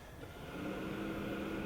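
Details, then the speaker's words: Vectrix electric scooter on a jack after reassembly: light forward throttle brings a soft steady fan whir and faint hum, but the motor gives no drive; a chirping from the motor controller follows, cause unknown. "If I just go a little bit, I just hear like a fan kick on. I'll do that plus a little more."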